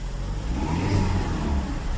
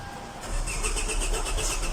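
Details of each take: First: Hyundai Elantra after no-start issue repair: engine runs steady, then revs up cleanly and drops back smoothly, no misses, knocks or rattles; running normally. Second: HYUNDAI ELANTRA: NO START ISSUE #autotechnician #hyundai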